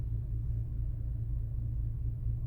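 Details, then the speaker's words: Infiniti after valve clearance adjustment: a low, soft, steady idle hum with no ticking, tapping or shake; the engine runs quietly and smoothly. "Чуєте, як мотор шепче? [музика] Короче, тачка огонь. Їде класно. Двигун працює рівненько."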